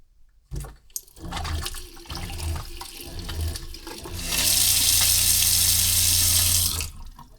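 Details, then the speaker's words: Caravan (Crusader) factory water pump switched on from the control panel, with the tap running: a steady low drone under the water rush, loud enough to carry into the van; noisy pump awaiting replacement with a quieter unit. "Yeah, look, I don't know if that came through the um through the camera real well, but definitely could hear it quite loud in the middle of the day, too."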